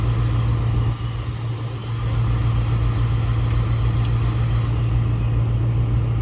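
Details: 2005-2009 Mustang after replacing both blend door actuators: only a steady low idle hum and even airflow, no clicking behind the dash; normal blend door actuator operation.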